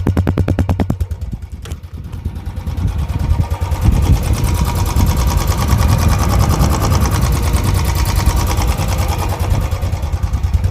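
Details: Royal Enfield Bullet ES 350 electric-start single cylinder: fires up and settles into a steady, even thump at idle, a clean and healthy thumper sound.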